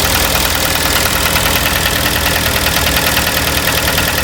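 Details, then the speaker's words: Kia petrol engine on cold start knocking hard, about three hits a second under a harsh rattle; piston slap from scored cylinders, aluminium transferred onto walls, half of cylinder 3 torn, needs overhaul. "все двигатель капитал не жилец стучит холодную запуск стучит конкретно стучит"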